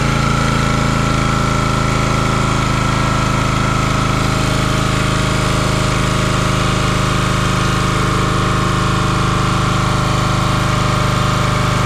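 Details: Champion 27-ton log splitter, 224cc single-cylinder engine, stored outside and sitting a day or two. Steady, constant speed with an even beat and no misses or knocks. Normal running.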